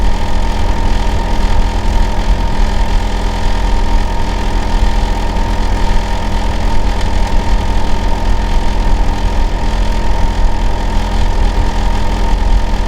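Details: Neighbor's Hitachi air conditioner outdoor unit running in winter, said to run year-round and be especially loud in summer and winter: steady heavy drone with a constant low hum and faint mid tone; abnormally loud running, cause unclear.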